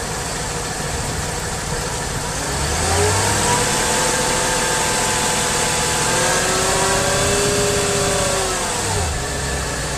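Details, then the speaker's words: 2003 Mercedes S55 AMG revved to about 2000 rpm, camera at the front right corner: whine rising and falling with engine speed, a hydraulic vibration from a failed, oil-leaking ABC/power steering pulsation damper. "once the pulsation damper goes bad when you start the car up to 2000 rpm you can hear like a whining sound which is a hydraulic vibration because the damper isn't working anymore"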